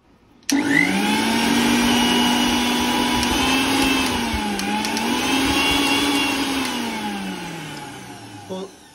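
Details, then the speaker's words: Mixer grinder after replacing its faulty regulator switch, which had stopped it running when switched on. A smooth, even motor hum rises and dips slightly with no rattles or cutting out. The problem is solved and it runs normally. "दोस्तों देख सकते हैं हमारा जो problem है वो solve हो चुका है।"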